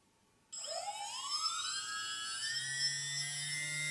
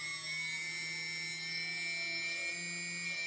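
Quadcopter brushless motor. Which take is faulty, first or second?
first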